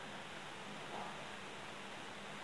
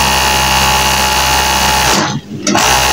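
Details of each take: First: Overlock sewing machine after servicing that cured a loud banging noise: knife holder connection and upper looper bar replaced, oil tank refitted; now an even steady hiss with faint low hum, no knocking, running smooth and silent. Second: High-speed overlock sewing machine running with a loud, harsh rattling bang; the knife holder is loose from an internal connecting-link problem and the upper looper bar is worn, both to be replaced.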